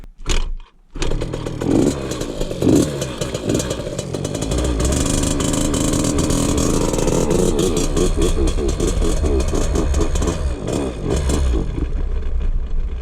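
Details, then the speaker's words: 2003 KTM 50 Mini Adventure 50cc oil-injected two-stroke, long sat, test ride: sputters and clatters on throttle, revs stumble and fade; bogs and dies, owner suspects carb, rich jetting or too much oil in premixed gas. "We got this KTM Mini Adventure and it doesn't really want to idle well. It just bogs out when you give it gas and dies."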